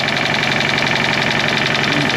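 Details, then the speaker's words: Fiat 500 TwinAir replacement engine on its first idle after fixing low oil pressure, no leaks. Steady, slightly clattery twin-cylinder idle with even pulses; owner says TwinAirs sound clunky and all over the place. Normal idle. "these two air engines they do sound quite they can sound quite clunky you know they're kind of like a bit all over the place"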